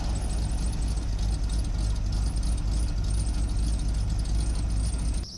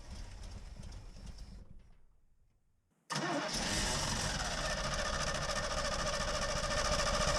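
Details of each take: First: 1986 Chevy K20 Custom Deluxe pickup, sat for years, mechanical fuel pump, started after gas poured down the carb and long cranking: old V8 runs on its own with steady low rumble, no misses or knocks, then shuts off. Normal running. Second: 1986 Chevy K20 Custom Deluxe pickup V8, sat for years, with fuel poured down the carb: after long cranking it catches and runs steady; the slow start is from a dry mechanical fuel pump needing re-prime.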